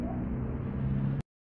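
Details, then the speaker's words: Fiat Idea radiator fan motor, GM type, that whistled from built-up carbon brush dust, run on the bench after cleaning and reassembly. Smooth, even low hum with no squeal, rattle or scraping; normal fan motor running. "Olha aí ficou macia macia a ventoinha eu vou estar montando Ela ali no carro daqui a pouco eu mostro para vocês"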